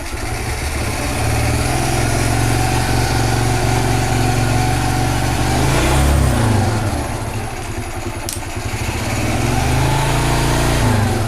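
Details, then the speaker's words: Carbureted G-Moto Cross X Pro moped at 1,700 km, air filter removed for servicing, fuel drained for a consumption test: small single idling with a loud, slightly uneven thump and raw intake roar while running without the air filter, throttle opened slightly. "maintenant je vais l'ouvrir un peu fonctionne sans filtre à air donc tel le bruit"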